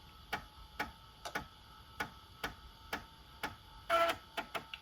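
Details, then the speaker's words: Macintosh PowerBook 180 floppy drive reading a 1995 Wacom ArtPad II driver disk: sharp head-stepping clicks about every half second plus brief whirring burst; disk reads fine, normal disk reading. "I just stick it in the floppy drive. See, hopefully it's still readable. Sounds good."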